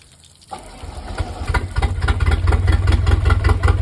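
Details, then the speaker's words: 1983 Galaxy boat engine, previously no compression, presumed from an RTV-sealed head gasket, now running; catches and settles into an uneven, lumpy idle, roughly two to three loping beats a second, shaking badly; owners suspect a misfire. "sounds like it has a lumpy cam right now i think we think it's misfiring or something"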